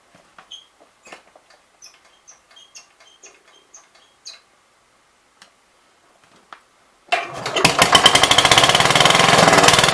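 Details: 1966 Gravely C10 single-cylinder after no-spark fix, switched to a battery ignition coil (choke pulled; bumped power wire to starter switch): after a few light taps it fires and settles into quick even thumping about four beats a second; runs normally.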